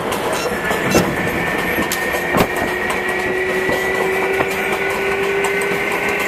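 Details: MTA R142A car 7686 on a Manhattan-bound 4 train near 183rd Street: steady high howl over wheel clatter, rising gently in pitch as the car gathers speed; howling traction motor, later fixed.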